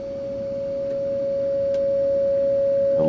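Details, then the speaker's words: 1948 Philco 48-1274 radio, signal generator fed through the output transformer and field coil into the speaker, DC supply powering the field coil; clean, steady mid-pitch tone swelling louder as the field coil powers up, working. "that's just the signal generator you can hear that signal going through the speaker I hope you can hear it anyway"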